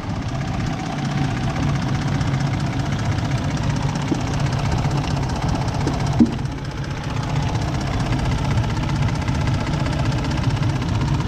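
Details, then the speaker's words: 2018 Ford F-150 after timing chain job, cold idle: steady mid-pitched idle with even fast patter, no rattle; sounds good now, to be left to warm up, with coolant, oil and leaks to be checked. Normal idle. "Pues ahorita se oye bien ahorita le vamos a dejar que caliente"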